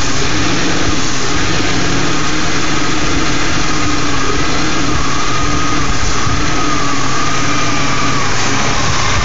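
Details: BMW E39 528i at idle. Steady idle with a lumpy, uneven low rumble and no clear rhythm. Rough idle.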